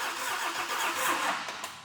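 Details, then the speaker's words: GMC Typhoon first start after an engine refresh: the starter turns the engine over briefly and weakly on the battery without catching. Cranking issues needed jumper cables, and it then started perfectly on a jump pack. "huh it's not [Applause] starting all right we got a bunch of jumper cables going on here we're having cranking issues"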